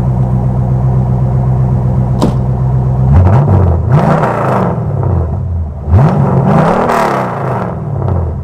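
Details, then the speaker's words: Custom 1956 Studebaker Sky Hawk with mild roller cam, after transmission swap: smooth low burble at idle, then two clean even blips with deep exhaust note; docile engine sounds healthy. "As you can tell, it's got a mild roller cam in it, so it's a very docile motor. It's very mild."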